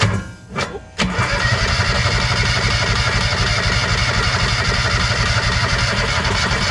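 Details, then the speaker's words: Non-running auction Kawasaki Mule 2510 with the choke stuck: the starter churns steadily at about four turns a second and the engine never fires. Gas is seen flooding out of the airbox, and the carburetor is suspected to be done. "Oh, it's Yeah, it's flooding over now. I can see it."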